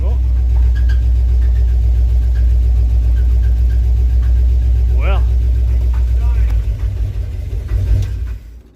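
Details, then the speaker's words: 1968 Dodge W200 Power Wagon, big block 383 V8, carburetor, restarted after sitting; heavy lumpy idle that stumbles and sags, nearly stalling; rough uneven running, owners fear engine might be toast. "you think she might be toast no it sounds pretty bad doesn't it it almost fell there that's well not what I would call good but it did run"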